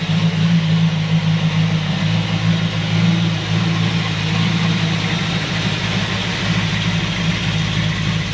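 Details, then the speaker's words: 1937 Buick Century Coupe with a 400 cu in small-block Chevy, cruising on the road: smooth, even low engine note that runs pretty quiet with a little wind noise. Normal running. "it runs pretty quiet it's got a little bit of wind noise a little bit of wind noise but it goes down the road"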